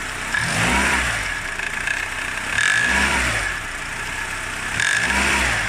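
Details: Honda Odyssey RB2 K24, fully warm, in gear on handbrake with throttle blips: rattly knock rising with revs (felt at 1600–1800 rpm under load, 40–80 km/h) from the right side, fading at idle; accessory belt tensioner, knock stops when pressed.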